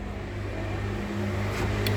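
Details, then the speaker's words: Left front power window drops fast but rises slowly and haltingly. Motor gives a low, steady hum that strains as the glass climbs: misaligned, binding regulator. Fixed by shifting and readjusting the regulator bolts, after which it runs smoothly. "Jadi kemungkinan sih ini ada ada part yang pasangnya kurang pas aja mungkin ya jadi nanti ini kita bongkar dulu kita cek nanti kondisi regulator rownnya Seperti apa"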